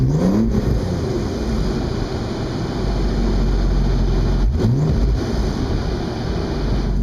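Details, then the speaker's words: 2002 Audi S4 just after Stage 2+ work, first drive, windows down: loud rasping drone from the centre of the car that swells with throttle and revs and is milder off the gas. Exhaust leak. "so when I'm not on the gas it's not too bad but I mean it's just obnoxious"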